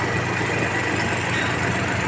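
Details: Geely Azkarra 1.5L after replacing incompatible spark plugs with NGK plugs that had caused cylinder 1 misfire and white smoke: even, steady idle with smooth low hum and no stumbles; engine running cleanly.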